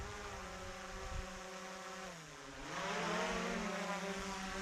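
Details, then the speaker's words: DJI Mavic Pro Platinum hovering about 30 feet up: smooth, soft propeller hum dipping and rising as it trims, not whiny, tone unlike the Skydio 2; normal prop noise. "The sound tone is also entirely different than the Skydio 2. Clearly more pleasant to listen to. It's less distracting and annoying to anyone around you."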